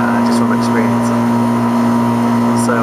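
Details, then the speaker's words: Package HVAC unit on a service call, about 75-80°F outside, charge checked: steady low mains hum with even fan rush, no clicking or labouring; compressor running normally, only issue noted a dual run capacitor. "everything looks like it's running well"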